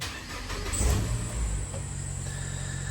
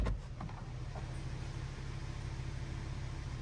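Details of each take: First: Nissan Note automatic (Cat S): thin high squeal over the idle right after starting, fading as it settles; owner assumes some kind of bearing, unconfirmed. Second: Nissan Note automatic idling smoothly with a steady low hum and no squeak; engine running normally.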